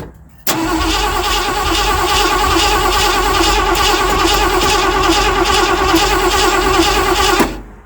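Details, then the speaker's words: 1979 Ford F-100 that sat for years, extra gas added to carburetor: even starter churn about three turns a second for seven seconds, one little poof suggests spark but never runs; cranks but won't start. "No. Okay. One little poof. So, I know it's got a spark."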